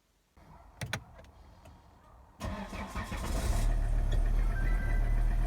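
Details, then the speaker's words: Volvo XC60 D5 diesel, possibly Euro 4, cold start then floored: cranks, fires, settles to low steady idle, took about 10 seconds to rev; hesitation from fuel starvation, faulty injectors found and replaced. "you can see it took about 10 seconds to start revving there so it feels to me a bit like fuel starvation"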